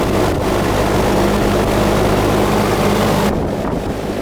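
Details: Newer AC outdoor unit that had been running 30 seconds then shutting down and not cooling, with a 220 motor and surge protector, after repair work: steady low hum with even fan rush and no rattles or squeals, running smoothly and normally.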